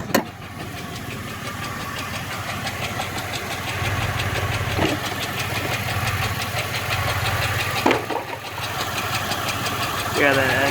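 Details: Chevrolet Impala SS with service StabiliTrak and traction control warnings idles rough and uneven, with a stumbling misfire beat and visible shaking.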